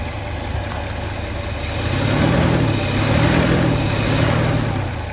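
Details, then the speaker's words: 1967 Lincoln V8 just restarted after valve lifter replacement, lifters now pumped up: deep, even idle with a steady low beat and no top-end ticking; sounds healthy, though a quieter lifter noise remains on the driver's side. "now that the uh the valve lifters are pumped up and they're working normally it actually sounds pretty"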